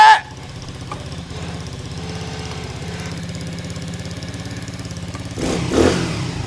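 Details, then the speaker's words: Honda CT70 clone, 125cc (127cc) single, 38 miles, started on first kick despite weak battery: settles into an even, steady single-cylinder putter at idle with no knocks or misses; sounds healthy. "Damn, brother. This thing sounds good."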